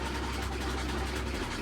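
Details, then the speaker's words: Samsung WA48H7400AW/A2 washer at about 1,000–1,030 rpm spin after suspension rod work: steady low drum rumble, some noise left but no heavy banging; much quieter than before, quieter spin cycle. "wow this is this is this is way better than before for sure it's still making noise but not as bad as before"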